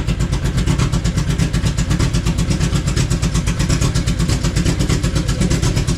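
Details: Honda Civic wagon, engine revived on pump gas, remote map tuning underway, slop still being adjusted: steady even low chugging at idle, regular firing pulses, no knock or miss; normal idle.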